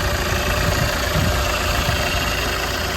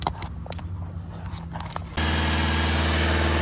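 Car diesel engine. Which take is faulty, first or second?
second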